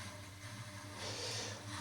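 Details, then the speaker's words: Heating system after a zone valve swap, Grundfos circulator pump in its 10-minute app-triggered vent mode. Steady pump hum under a rushing, hissy swirl as air is purged from the system. "That pump is going through its vent mode and that's through. Can you hear it? It's trying to push all the air out."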